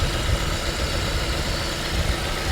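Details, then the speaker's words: $300 salvage 1995 Nissan 200SX with distributor cap and leaking valve cover, idling on a ~100-degree day. Now an even idle with a low steady thrum and no clear stumble after an earlier occasional misfire; owner thinks it needs a tune-up. "now it seems to be running fine again interesting okay so an occasional misfire I think this thing may need a tune-up"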